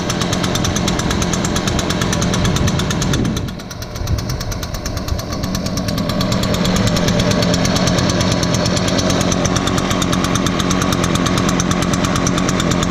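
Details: Echo blower, started on choke after priming bulb under the carburetor, started easier than expected: even two-stroke buzz dips briefly then picks up smoothly and holds steady, no misses or surging; normal idle and throttle.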